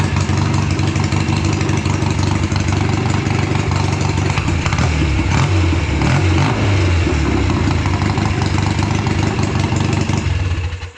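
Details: Home-built BSA twin chopper on a half-mile rainy test ride, its first in many years. An uneven, lumpy exhaust that stumbles irregularly as revs climb, then cuts off: one cylinder misfiring under load. Carburetor or ignition suspected; previous fixes made no difference.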